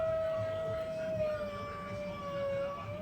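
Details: Cadillac brake job, pushing a caliper piston back with a tool: a steady high squeal over a low rumble. A caliper problem is suspected rather than a plain brake job. Squeal when pushing caliper piston back.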